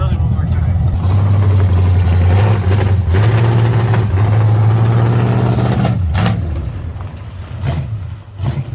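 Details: 1970 Chevy C10 on its first drive in many years: deep V8 rumble with an uneven, loping beat under light throttle. Runs terribly; owner says it isn't timed and the carburetor is bad.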